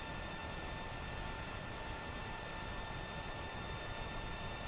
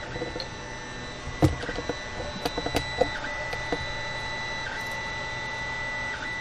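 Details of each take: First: Creality Ender 5 Plus 3D printer printing after the silent board upgrade: only a soft steady fan hum with a faint whistle, no stepper noise; about 54 dB, roughly 10 dB quieter than the stock board. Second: Creality Ender 5 Plus 3D printer actively printing on the original stock board: shifting high whines and chirps changing pitch with each move, clicks over a motor hum; loud stepper motor noise, before the silent-board upgrade.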